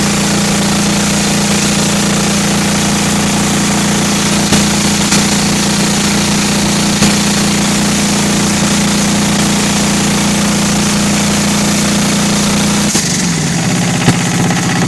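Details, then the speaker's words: Kohler KD425-2 diesel, cold, running with an even, fairly high-pitched clatter and no misses after a tune-up and fixing leaking fuel lines that lost prime; earlier hard starting possibly from an air leak. "I can hear a little bit of that two-cycle tone I was talking to you about. Kind of hard to hear the engine talk."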